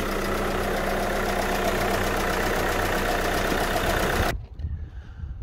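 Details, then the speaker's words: VW Crafter diesel campervan idling hot after cambelt, water pump and cooling system refit, coolant bled: even clatter about four beats a second, steady until shutdown, no surging or gurgling; healthy idle. "oh it's red hot now we'll get no gurgle and noises when we turn it on i think that's it bled up"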